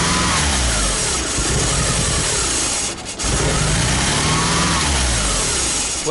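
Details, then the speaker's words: Mitsubishi Galant just fitted with spare RC 550 injectors: engine catches but runs rough and lumpy, sagging and failing to stay running, from a massive vacuum leak; owner first wrongly suspected the MAF translator setting. "I didn't immediately hear the massive vacuum leak so it took me a little while to figure this out"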